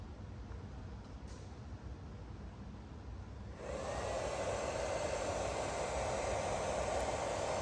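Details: Fitinhot stick welder, 20 to 120 A, powered on through a roughly 6 ft extension cord: a few seconds in, a steady airy whoosh switches on and holds even with no rattle; cooling fan running normally.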